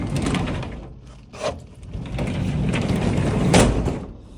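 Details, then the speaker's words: Garage door rumbles along its track, then clunks sharply where it strikes the lock. The lock is almost certainly the only thing hitting the door and likely caused the spring cable to come undone. "So this is what cost most likely for this to come undone. That lock. I'm almost 100% sure because there's nowhere else that is hitting other than there, as you can hear."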